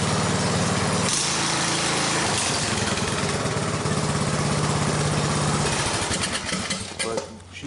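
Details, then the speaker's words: Briggs engine on a Craftsman rider whose carburetor needle and seat came loose, filling the crankcase with gasoline and diluting the oil: catches and runs rough and uneven for a few seconds, then dies, with heavy smoke and fuel coming out of the muffler. "smoking like at our kiln and all leaked city come out of muffler because the cylinder has just full of oil and gas"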